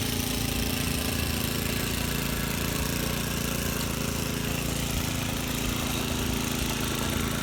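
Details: Vintage Cooper Klipper reel mower, cutting short grass. Steady, even single-cylinder chugging under load with no misses or knocks; healthy running. The reel needs sharpening and the bed knife needs adjusting, but it cuts.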